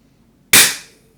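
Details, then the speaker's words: APS Thor gas shell after maintenance, fired with just enough gas for a test: one sharp clean crack dying away quickly, no hiss of leaking gas afterward; normal gas firing, shell sealing well. "Just enough gas to do the test. Can't hear any leaks. Seems like that one seems good."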